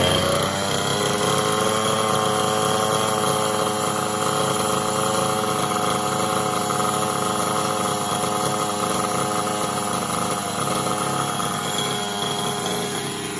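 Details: Losi 5T RC car's two-stroke engine, first run after sitting a long time; high, buzzy note holding steady at a fast, even rev with no misses or knocks; running cleanly.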